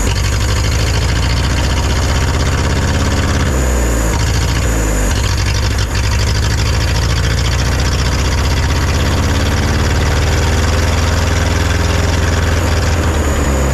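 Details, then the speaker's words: Neglected forklift after long storage, started on starting fluid (charging system stuck on, drains battery): loud, uneven running that surges, sags and nearly dies; owner suspects carburetor and plans to pull it apart. "I don't think it's going to keep running I'm going to have to pull the carburetor apart and we're going to have to see what's going on here"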